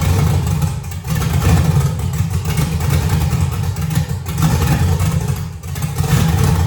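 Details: LS-swapped Chevrolet S10 V8, tune still being worked on; starts with deep, muffled V8 rumble, small throttle blips, no misses or clatter — normal start and idle.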